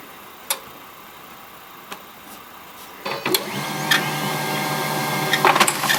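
Quiet, then the printer starts up and a thin, high squeaky tone runs over its clattering mechanism; a squeak while printing, cause unclear.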